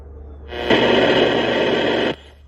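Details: Tempest multi-band radio from a scrapyard, volume off: harsh even hiss-buzz for about a second and a half then cuts off; radio static noise, cause unknown.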